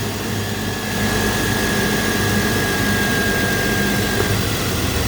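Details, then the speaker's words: Abandoned BMW X5 E53 3.0i inline-six at idle during a cylinder drop test: disconnecting a coil makes the engine shake, uneven and lumpy, showing that cylinder and coil are good; the misfire is on cylinder three. "I don't know if you can hear that or see that started shaking. Hear that? That's making a sound."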